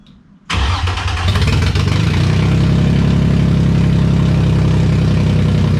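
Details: Freshly rebuilt VQ35DE swapped into a 240sx S13, after the vacuum leaks were capped with hoses: quick crank, instant catch and a loud but steady, even idle through open headers. Vacuum leaks confirmed as the cause.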